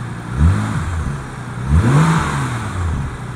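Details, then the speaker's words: BMW M135i bought at auction, not in sport mode, two quick revs: rising engine note with a fluttering rush as boost builds; owner suspects wastegate flutter. "I can hear the turbo [Music] fluttering is that fluttering or is that just something ring I think that's the waste gate like fluttering"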